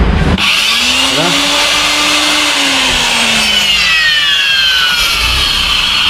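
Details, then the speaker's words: Router running free with a bearing-tip bit. Its high-speed whine has a rough, gritty edge and a wavering pitch. Worn bearings in the machine and/or the bit are suspected, and the tool is judged unfit to use. "ได้ยินเสียงแล้วมันแล้วนี่ทั้งตัวเครื่องเองทั้งดอกเองครับไอ้จังหน้าเรานำมาใช้งานโอกาส15สูงเลยเสี่ยงเอาแล้วลาให้สันนิษฐานว่าลูกปืนอาจจะเสื่อมสภาพแล้ว"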